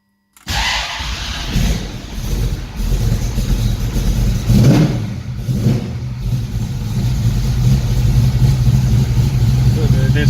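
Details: 1969 Mustang with new 410 cubic inch V8 on fuel injection, cold start after sitting since the previous day: catches immediately on the first turn and settles into a strong, steady idle with a couple of blips; clean, easy start.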